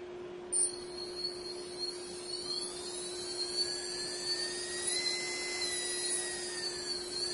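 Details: Brushless motor on a SimonK ESC just reflashed via Turnigy USB Linker, driven by a servo tester throttle: smooth steady whir with a constant high whine as it spins up and holds speed; running normally.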